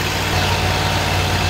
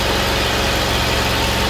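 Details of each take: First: Kohler Command Pro 25 (CV730) V-twin on a Great Dane zero-turn with a cutting-off complaint, running on a temporary fuel feed with a little choke: a steady, even idle still running after a minute. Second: Kohler Command Pro 25 (CV730) twin on a Great Dane Chariot zero-turn starts and runs at a rough idle for a few seconds, then loses speed and dies; fuel delivery is to be tested next with brake cleaner at the intake.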